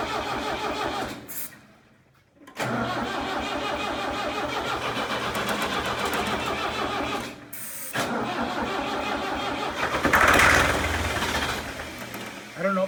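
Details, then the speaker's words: Tractor abandoned three years in a meadow, with mouse nests, an old battery and fuel line and pump issues: long bursts of starter cranking with pauses, no catch; diesel appears fuel-starved, owner wonders if the throttle is set wrong. "is my throttle maybe set at the wrong place or I don't know it still acts like it's not getting fuel"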